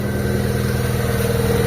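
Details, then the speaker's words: Mitsubishi Lancer GLXi engine idling after removing the belt to the compressor pulley, whose bearing was found making a grinding noise near the timing belt side: smooth, even idle hum with a steady drone and the noise gone; normal idle. "Ayan mga boss, nawala yung maingay."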